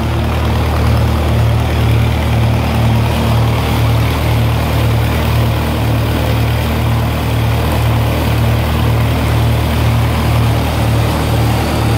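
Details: 1948 Lincoln SA-200 welder engine, long set aside unused and got running with very little work: a low, steady drone with an even, gentle beat about twice a second and no knocks or misses. Normal running.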